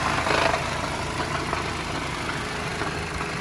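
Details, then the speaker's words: Car that had stalled and would not restart, at rough idle: uneven idle with a loose metallic clinking that keeps returning. Cause not found; the top end showed nothing loose, and a throttle body code was set. "So I thought it stopped doing it, and now it's doing it again. But the car has to, oh, that doesn't sound good. I still hear a noise, so, yep."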